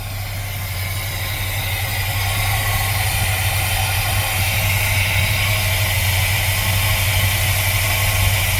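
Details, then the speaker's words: 1979 GMC C15 V8 just after a cold start following sitting, with oil pressure and charging. Steady, even idle with a smooth low rumble and no valve-train clatter. Normal idle. "Okay, we must have oil pressure. It's charging. I don't hear any valve train clatter whatsoever."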